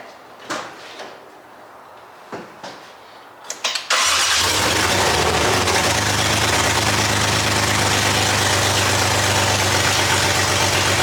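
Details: 2JZ-swapped Nissan 240SX cranks: several seconds of cranking then catches and runs loud with hunting, uneven beat; no exhaust, no O2 sensor, wrong ECU and MAF, possible vacuum leaks suspected.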